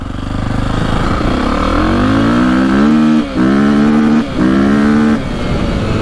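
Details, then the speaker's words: 2002 KTM 400 EXC single, warmed up, revving cleanly in short blips and hitting the rev limiter at the right point after fixing earlier bogging and misfiring; owner considers a larger jet. "sounds a lot better you can hear it hitting the rev limiter at the right time unlike last time"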